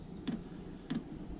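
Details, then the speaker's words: Diesel cabin heater in a 1981 GMC school bus, first firing of the season: faint, sharp ticks about every 0.6 seconds as the fuel pump starts once the glow plug has heated the chamber; normal. "the way these work is the glow plug will heat the chamber up in there and once the chamber's up the temperature it'll actually turn on the pump and start pumping the diesel fuel to it"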